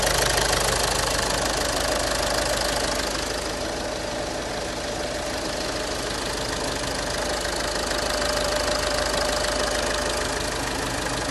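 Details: 2010 VW Passat 3C 2.0 TDI diesel, first start after a full engine rebuild following a broken timing belt: even, steady diesel clatter at idle with no misses or knocks; normal idle.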